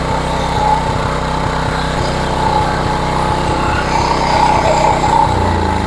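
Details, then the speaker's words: Old Homelite 3500W generator, running without choke: steady idle with uneven firing pulses and occasional skipped beats, a slight miss at idle. The cause is not yet investigated, before load testing. "Yeah, it almost sounds like it has a little bit of a mist there. H maybe requires a little bit further investigation."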